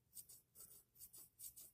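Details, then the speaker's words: FURA flipper knife after a drop of oil from a needle-tip oiler on pivot bearings: soft quick swishes as blade flips open and shut, earlier grinding gone; pivot now smooth and quiet. "nice and quiet I just have one of those Oilers that has one of those needle tips to it and I just put a little bit of oil in with the bearings and now it sounds much better"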